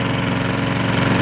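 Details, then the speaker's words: Junked lawnmower single-cylinder engine after repair, running on 0W-20 oil that needs changing, starts on primer second pull: steady, even beat with no misses; earlier hard metallic rapping noise gone, sounds like a normal lawnmower now. "that hard metallic rapping noise could gone away sounds like a normal lawnmower now"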